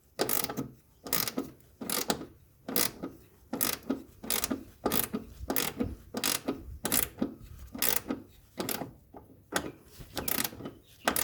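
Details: 2016 Toyota Tarago engine bay: slow, rhythmic ratcheting clack about one and a half per second, repeating steadily; engine bay rattle, source not stated.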